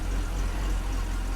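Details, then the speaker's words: 1997 BMW E39 just started after new plugs and gaskets: low lumpy uneven idle rumble; misfire suspected from oil from the plug wells that fell into the cylinders, not confirmed. "know why it may be misfiring because there was oil in those spark plug wells and when I pulled the spark plugs out yeah some of that oil got down into the cylinders"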